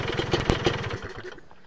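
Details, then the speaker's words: Kawasaki Ninja two-stroke: a throttle blip brings a fast tinny rattle over the engine buzz that then dies away. Piston slap; a worn piston is the likely cause. "di gas itu terdengar ada bunyi ter gitu ya ter Nah itu memang di bagian piston ya"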